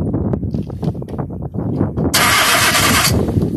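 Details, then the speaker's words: 2001 Nissan Almera: the starter cranks steadily and evenly at about four turns a second but the engine never fires. No fuel delivery found at the engine; fuel pump relay or fuse problem suspected. "can you crack as well we haven't got any fuel so our problem is film"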